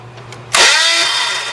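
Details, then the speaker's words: 1998 Dodge Neon 2.0 I-4, 5-speed manual, cranking: one harsh grinding whir winding down without catching; starter drive pinion hanging up, not retracting cleanly, starter to be removed; starter pinion grind. "So, that is the starter drive hanging up, not wanting to come out."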